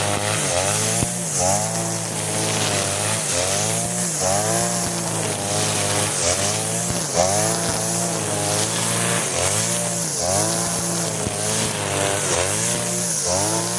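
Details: Side-mount two-stroke brush cutter with its carburetor fuel screw (under the carb) turned half a turn for string-line use, cutting grass: crisp buzz dipping briefly as it bites and recovering cleanly, no bogging; normal running under load.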